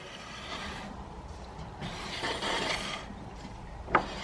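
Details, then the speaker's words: Subaru WRX, four-wheel drive on ramp, wheels turning with very worn brakes: dry, uneven, gritty scraping and rumbling. Owner suspects badly warped discs, not confirmed; discs and pads being replaced. "Well, I think this is where the rumbling's coming from. So I'm suspecting it's warped within an inch of its life."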